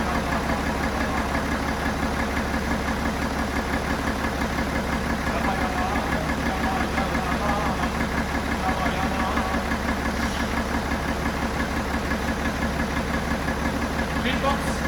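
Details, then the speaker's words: BMW F11 535xd twin-turbo six-cylinder diesel, failed engine: a rough idle with a steady, fast knock about three beats a second underneath; owner says cylinder number three is knocking, a worn rod bearing. "he told me yeah I have a problem with the cylinder number three and I asked him yes can you tell me what's the problem and he said I have some knocking issues"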